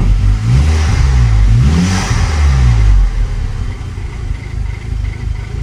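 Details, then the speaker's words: VW Golf Mk5 GTI, 113,000 miles, no engine light: engine blips twice then idles with an uneven, lumpy, rattly beat; owner suspects a misfire, cause unclear. Rough running. "it sounds pretty rattly so it looks like it's misfiring or something's not really right here"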